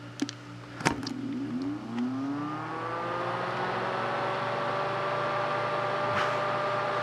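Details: Adventuridge (Aldi) iceless electric cooler switched to 12 volts from a jump pack: clicks, then fan whir climbs and settles to a steady even hum, running normally though pulling the supply slightly below 12 V.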